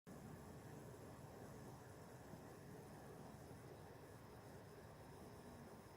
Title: EVGA 750 GQ Buzzing Noise